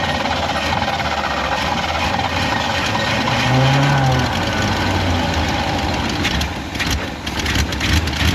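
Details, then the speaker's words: 1955 Willys Jeep with a motor marked 283, cold morning start. The start was poor, followed by an uneven, lumpy idle of about three pulses a second with wandering speed. Rough idle after cold start; owner thinks it needs some attention. "so it started I would say a pretty awful start but it started I don't know probably needs a little love"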